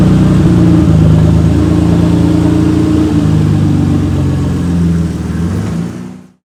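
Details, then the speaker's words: 1991 Nissan Skyline GTR R32 at startup: loud, deep, raspy unmuffled drone with lumpy low pulses; exhaust was dented in an accident and partly cut away before the muffler. "But yeah, and the exhaust is cut because from the accident, it dented the exhaust, so part of it had to be cut away."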